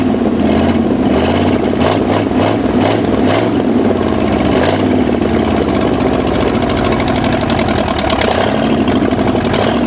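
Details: 1965 Ford F250 revived after 26 years abandoned: the engine surges and stumbles as the throttle is worked, never settling into a steady idle; ignition timing was later adjusted.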